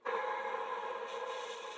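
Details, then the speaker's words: 1990s Electrolux Tango Z1661 cylinder vacuum making an odd noise on wind-down, motor opened and spun by hand: a steady, dry, scratchy rubbing hiss with no clear tone. The deeply buried sealed motor bearing is found dry and is to be oiled. "I think that's quite dry. The problem is, as you're about to see, the bearing is buried right down in there."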